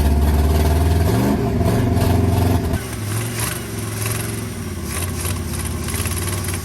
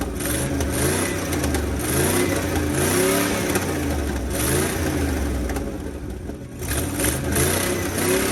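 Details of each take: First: Abandoned, seized 1980 International Scout II, first start: uneven, lumpy firing that stumbles then settles into a ragged, smoky idle as diesel left in the cylinders burns off. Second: Abandoned 1980 International Scout II, engine previously seized, now running after diesel soak; catches and revs through several throttle blips, rough but clean with no knocks; still burning off crud, needs carburetor.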